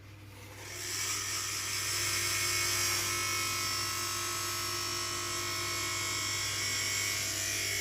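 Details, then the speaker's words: Cheap knock-off hand dryer's brushed vacuum-cleaner-type motor, dated December 2021, with a brush stuck in its holder, run at full speed: rough high scream with gritty buzz and crackle, drawing current; some commutator bars suspected gone bad. "that oh that is not good this is shot I think some combar are gone bad"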